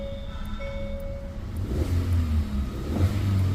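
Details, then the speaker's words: New-model Hyundai Verna, petrol with CNG fitted, check light on, just started: uneven lumpy low rumble, code P0302 cylinder 2 misfire, with vibration and no pickup; spark plugs already replaced. "Cylinder 2 मिसfटी दो number cylinder में कुछ forward है। इसके लिए गाड़ी में vibration भी है और गाड़ी में पिकअप भी नहीं है।"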